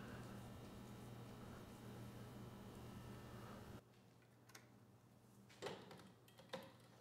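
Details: 1980s Troy-Bilt Junior tiller with Tecumseh HS35 engine, first start after sitting: small single-cylinder hums steady and even, revs, then shuts off; runs smoothly and healthy.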